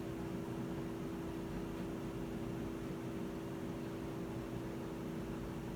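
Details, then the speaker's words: Whirlpool washer that won't spin, even after recalibration, in drain-and-spin mode with the lid lock reading correctly: only the drain pump hums, with no drum spin; a faulty imbalance safety switch is preventing the spin. "sigue sin moverse al parecer todo marca bien el seguro de la tapa marca que estamos en la función de drenado y exprimido pero la tina no se mueve"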